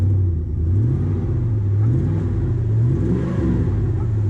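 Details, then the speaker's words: Chevy Avalanche LS V8 after fan clutch replacement, at start-up: revs rise and fall with deep whooshing fan roar swelling with speed; new fan clutch engaging normally, AC now cold at idle. "you know the fan actually makes good noise when you first start it you actually can hear the crutch fan"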